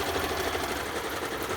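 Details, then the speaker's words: Rebuilt Elna sewing machine, after passing a Class 2 insulation test, stitching a pattern through heavy drill cotton. Fast, even stitching patter with a smooth mechanical hum and no knocks or catches; running sweetly. "So I'm just going to, this is some heavy drill cotton, so this is quite a test for the machine."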